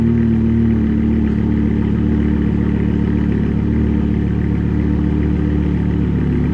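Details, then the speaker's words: BMW E60 M5 S85 V10 driving after replacing cylinder 2 and 3 coil packs and the ionic module to fix rough running and misfire: steady, even hum with no stumble; smoother, no longer rough. "Definitely tell it's smoother. It's just not as rough and rampant like before."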